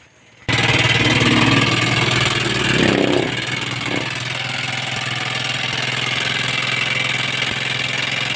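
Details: Motorstar Star-X 125 (Rusi 125) started up: loud harsh clatter at idle, about four knocks a second over the exhaust; owner thought rocker arms, found worn timing gear and cam.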